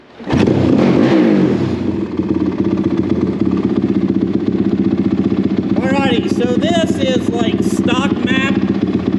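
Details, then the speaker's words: Rebuilt Honda 450R quad with Vortex ignition and map switch, first starts; runs smooth and even with quick clean throttle blips, healthy engine. "this thing revs so fast it almost sounds like a dirt bike it will be extremely jazzy"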